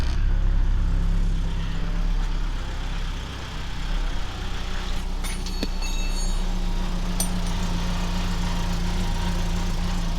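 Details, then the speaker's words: Geo Tracker after replacing cracked exhaust manifold with header, chilly morning: steady even idle, no puffing or ticking at manifold, a couple of handling clanks; no exhaust leaks heard, though some welds may be incomplete. "Well, I don't hear any exhaust leaks, so that's good."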